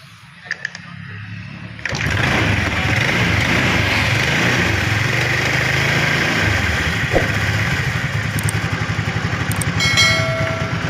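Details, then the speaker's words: Honda Vario Techno carburetted scooter starting and idling with a light, quick clicking from the CVT case at low revs, suspected to come from a loose or worn front pulley bushing. "Saat putaran mesin rendah, akan terdengar suara seperti itu. Mengklik, mengklik, mengklik . Ada kemungkinan masalahnya terletak pada bagian bushing puli depan atau CVT, yang sudah longgar atau aus."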